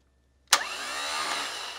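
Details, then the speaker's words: Bench-mounted starter with no engine, before a hard start relay is fitted: a sharp click, then a smooth high even whir for over a second that winds down cleanly. Main-cable current tops about 80–100 A, then drops to about 15 A unloaded. Normal free spin. "So when the motor quickly starts, it's probably around 100. And then when it's running, there's no load on it. So it's gonna go down."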